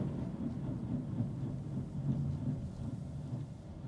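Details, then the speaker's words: 2013 Chevrolet Aveo driving on the road: deep uneven chuffing rumble, lumpy and pulsing under load like a steam locomotive; heavy misfire. "people are looking with sounds like uh sounds like I'm in to steam locomotive"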